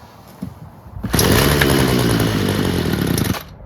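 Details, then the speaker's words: Free Homelite two-stroke string trimmer starts only on choke and stalls off choke: buzzes unevenly about two seconds, then dies. Owner suspects mixture screws or a blocked screen near the metering diaphragm. "But it only starts and runs on choke. The minute you let off the choke to full run with flap, it stalls."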